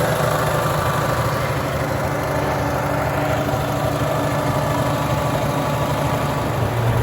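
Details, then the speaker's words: Farmall tractor (1949 H or 1968 656) after fuel tank work, choke fully in, previously cutting out: smooth even idle holding steady with no stumbling, surging or cutting out; sounds good. "gonna let this thing run for a while hopefully it stays running sounds good"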